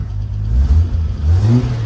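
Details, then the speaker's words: 1980 Toyota RN30 Hilux 4x4 with Holden 186 engine, just revived and not yet warmed up: revs rise, then stumble and dip briefly before picking up again; cold-engine hesitation on throttle, owner suspects it needs to warm up, cause not confirmed. "Oh, didn't like that. Maybe I need to let it warm up a little bit."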